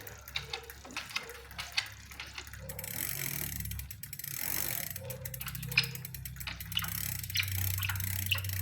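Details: Smith First bicycle: uneven ticking and light scraping as the pedals turn, first blamed on bottom bracket bearing; actual cause a bad crankset making the chain rub the derailleur, replaced with a Shimano crankset.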